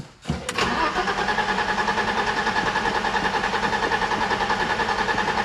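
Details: 1987 BMW 325i E30, sat outside after paint job, cranks steadily at about 3.5 pulses a second after a new ignition coil but never fires; spark plug 6 was found worn. Crank no-start, cause unconfirmed.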